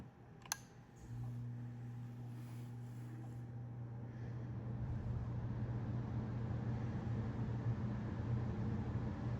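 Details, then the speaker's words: 10-year-old Carrier furnace, aging permanently sealed blower motor: click, then steady low hum growing louder and rougher like an old industrial fan; slower heating cycles noted; noisy blower motor. "Well, old typically means that an old blower motor would definitely sound like a an industrial fan. Now, you can kind of hear that it does sound like an an old industrial fan based on the sound pattern."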